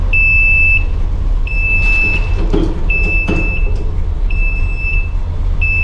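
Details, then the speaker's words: RV rebuild cold start, running with no choke: steady engine rumble under a high beep, about one second on, half off, repeating; low oil pressure alarm sounding, owner wonders if it is a false alarm. "Low oil pressure's going off. Wonder if that's just a false alarm"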